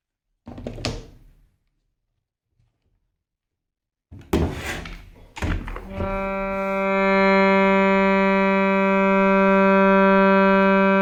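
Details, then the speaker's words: Shruti box G reed after repair, with the tongue straightened on both sides so it no longer touches the frame: a few handling knocks, then one clean steady drone, no buzz or rattle. "the tongue is just straight and making normal sound now let's check on the S box"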